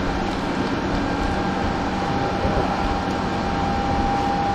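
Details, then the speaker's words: New Harbor Freight Titanium Unlimited 200 multifunction welder, stick welding with new rod and adjusted settings after it had not been grounded: steady, even frying hiss with no popping, sputtering or dropouts. With the ground connected it sounds better, a stable normal arc. "Okay. That sounds better."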